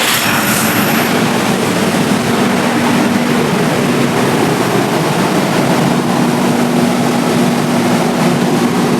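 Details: Steady, even diesel drone with a constant hum and no knocks or surging: the generator started in auto after the mains supply to its three-phase auto panel was switched off, and runs normally supplying output.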